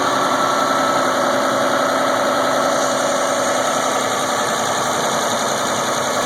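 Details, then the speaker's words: 2001 Isuzu Rodeo before EGR valve cleaning, check engine light on for insufficient EGR flow: idle sits slightly high with a faintly uneven pulse and steady hum, heard from the engine bay; owner suspects the clogged EGR causes the rough idle. "it something just doesn't sound quite right I'm hoping pling EGR is going to take care of all that but we'll see"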